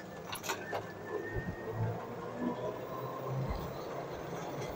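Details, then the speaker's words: Electric UTV (RZR side-by-side) conversion with Continental SilentSync belt drive: only tyre hum on pavement and light suspension and plastic creaks, no belt squeal or chatter; belt drive completely silent, PC cooling fans inaudible. "Wheel noise is about all you hear. Completely silent."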